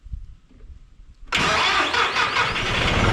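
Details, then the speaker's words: John Deere 5065E diesel tractor after replacing the burned-up starter with a cheaper online one: quiet, then a brisk crank that catches almost at once into a steady diesel rattle, spinning way faster than the always-slow original starter. "Oh! And it does spin over way faster. Way faster. It is typically like a rah, rah, rah, rah."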